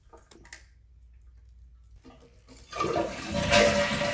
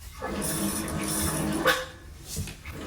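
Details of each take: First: Toilet after replacing the squealing fill valve with a Kohler silent fill valve, water 1 inch below overflow tube: flush and smooth even refill, no hissing or squealing. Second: Toilet tank refilling: rushing water with a steady reedy squeal and chirps, water surging as if refilling on its own; a noisy fill valve, to be replaced with a Kohler silent fill valve.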